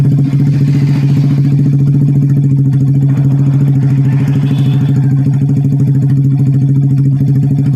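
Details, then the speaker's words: Old Vega R bored up with oversize 450 Kawasaki Kaze piston, previously smoking and running rough, after rebuild with exhaust refitted: strong, steady single-cylinder thump at even idle, no rattles or misses, no smoke yet; normal idle. "The tank doesn't look smoking yet , but let's wait a moment, Bro, for the sound of the engine to be smoother."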